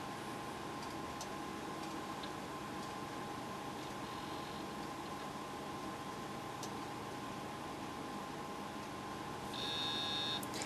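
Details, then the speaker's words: A Pentium 133 laptop makes steady fast ticking, about four per second, over a faint hum while Windows 95 is installed from floppy. The drive reported only 121 MB, and a loose contact in the drive cage is suspected. The hard drive is failing. "that's the sound of a bad hard drive"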